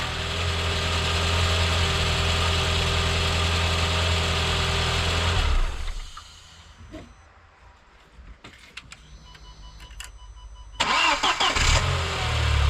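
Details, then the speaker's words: Audi A4 B6 1.8 turbo petrol engine, completely cold (turbo and manifold cold), started from cold. A fast metallic rattle sits over the idle for about five seconds; the owner's theory about the cause was disproved, and the cause remains unidentified. "Okay, it rattled, so the theory was unfortunately disproved."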